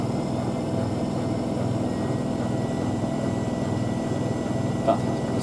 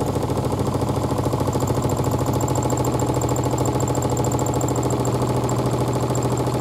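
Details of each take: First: Miele W5000WPS Supertronic washing machine (2012) at its 1600 rpm final spin: smooth, even high-pitched jet-like roar with no knocks or scraping; drum and bearings sound healthy. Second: 2012 Miele W5000WPS Supertronic washer speeding up in spin: steady low drone with even throb about twice a second, whole chair vibrating, which it normally doesn't do; excessive vibration, cause unknown.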